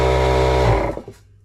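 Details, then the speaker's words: Stanley oil-less compressor used for a homemade diving hookah with an activated-carbon filter, filling a 5 L tank to 10 bar and getting a little warm. A steady motor hum and even pump drone, then a clean spin-down at shut-off; it runs normally. "Voilà, ça y est, il a rempli le réservoir de 5 L à 10 barres. Donc ça ça chauffe un petit peu hein. C'est quand on comprime de l'air, ça chauffe comme quand on on gonfle un pneu de vélo et quand on détend de l'air et ben ça refroidit."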